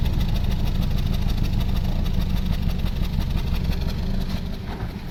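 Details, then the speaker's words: 2016 Toyota Corolla Grande 1.8 four-cylinder at exhaust, no check light, rpm needle fluctuating, stalls when put in gear: uneven idle chuff with a regular dead beat; one cylinder misfiring, clogged injector. "तो दोस्तों, अभी आपने आवाज़ सुनी है सिलेंसर से कैसी आवाज़ निकल रही थी। एक सिलेंडर इसका काम नहीं कर रहा।"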